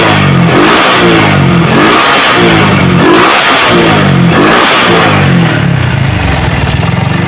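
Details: Motorcycle with PWK carburetor, after carb reset: engine blipped repeatedly at low rpm, each rise clean and quick without stumbling, settling to steady idle; pulls normally.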